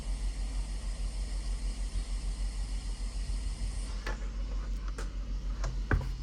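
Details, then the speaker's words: Asus ROG Ally handheld after BIOS 322 and Armoury Crate update, turbo mode (25W/30W) new fan curve at max, mic close to right then left fan: steady airy fan rush with low hum, about 5 dB louder than before but not annoying, normal. "they do some more than they did before but it's not annoying it's not a bad frequency and five decibels is not much"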